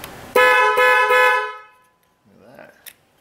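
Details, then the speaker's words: 2005 Chrysler Pacifica 3.5L with multiple TIPM electrical faults, horn relay jumped at fuse box position 43; three loud, clear horn blasts, horns and power feed through the integrated power module are good. "that verifies that we have the power from our fuse to our relay it's able to pass through the integrated power modro and go to the horns and blow the worn"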